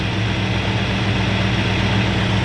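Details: Freshly installed 302 V8 in a 1969 Ford Fairlane, dwell at 28 degrees: deep, steady burble with even beat, no misses or knocks; idling smoothly and sounds good.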